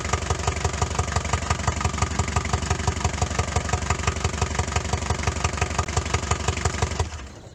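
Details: Daihatsu Fourtrak pickup, first crank and start after swapping in a replacement engine (old one blew its head gasket); catches and settles into steady idle near three beats a second; afterwards a loose fitting leaked oil, oil pressure confirmed.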